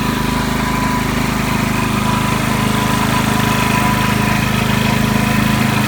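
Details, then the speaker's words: Ryobi RYI4022X 4000 W inverter generator, about 1.5 years old, running after a cold start to warm the oil before an oil change: steady, even hum with a fast fine pulse and no misses or knocks; normal running. "But we're going to start with letting the generator run for a couple minutes to warm the oil up so that it runs a little smoother."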